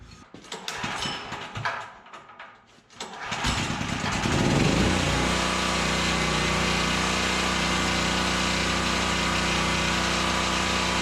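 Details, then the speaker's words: Generac GP5500 generator, sat unused one to two years, oil was grease-thick when acquired; started cold it sounded fine but as it warms a faint regular knock taps under the fast steady run; source undetermined, engine knock. "all right so I'm not sure how that's sounding on the camera but when I first started this thing cold it didn't sound too bad but as it warms up she starts to knock a little"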